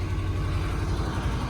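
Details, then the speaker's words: Ford F-150, 250,000 miles, with front-end damage, idling after start: low, lumpy idle with an occasional uneven beat like a cylinder dropping; a slight misfire suspected. "And it's probably going to smoke that belt. Definitely sounds like it's got a little misfire in there."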